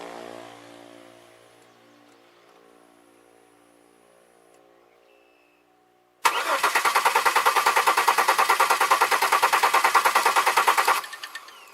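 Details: 2002 Chevy Malibu with a fuel leak and no start: the starter churns evenly for about five seconds and the engine fires only momentarily. Spark is confirmed, so the owner suspects the fuel side (injectors not firing, possibly the pressure regulator).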